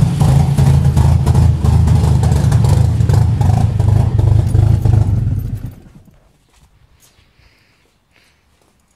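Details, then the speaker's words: 1986 Mazda RX-7 FC non-turbo rotary: idles fine, then low lumpy chugging at about three pulses per second, running very rich, stumbles and dies; also happens on highway; TPS unplugged with no change, no resistance reading, cause unclear. "So it'll idle fine for a bit, and then it'll just start chugging away and running really rich."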